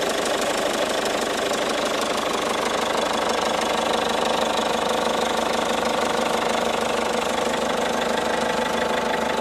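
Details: 2012 Peugeot 207 HDi diesel at idle: sharp, regular knock about three times per second over a steady idle; the source is not identified.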